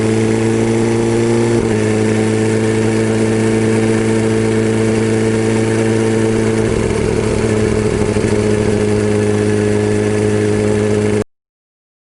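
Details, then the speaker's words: BMW S1000RR engine at idle: steady drone with a light, even tick. The camshaft is worn, leaving a gap between rocker arm and cam, so the valvetrain clatters. Fix is a camshaft replacement. "ロッカーアームと、カムシャフトの間にはい。隙間ができて、はい。カタカタカタカタ音が鳴ってるみたいなんです。"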